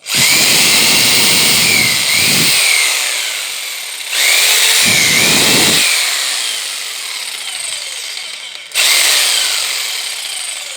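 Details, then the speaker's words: Bosch PST 800 PEL 530 W jigsaw, a 220–240 V tool, run on 115 V: high rasping whine that sags and drags as it cuts. Bogs under load, suspected undervoltage. "Hear that noise? You hear that, yeah? He didn't do that noise on the other side."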